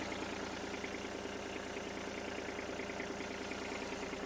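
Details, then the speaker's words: Diesel engine idling smoothly after an oil leak repair: a loose pipe nut had blown out its O-ring, so the O-ring was replaced, the pipe refitted and the oil topped up. Idle is low, even and steady, with no knocks or rattles. "So I'll start it up now. Looks good, looks good."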